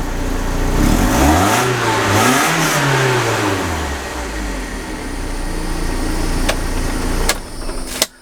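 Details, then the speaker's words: 1991 BMW E30 318is (M42 four-cylinder) after tune-up with new belts, oil change and air filter: quick blips rise and fall smoothly without hesitation or misfire, settling to idle; normal revving. "so let's see if it made this car sound any better yeah that sounds nice that sounds real nice"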